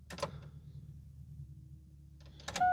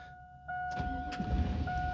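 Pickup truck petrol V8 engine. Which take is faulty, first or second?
second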